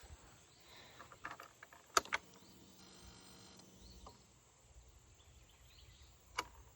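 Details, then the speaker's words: 420 ES fuel-injected ATV that suddenly won't run, battery and fuses good, three wires apparently cut: relay clicks then thin electric buzz about two seconds as pump primes at key-on, sparking but won't fire; engine won't start. "And you can hear everything's booting up right. And yeah, everything works on it, just wouldn't start up. It was sparking, doing the, it just wouldn't fire up right."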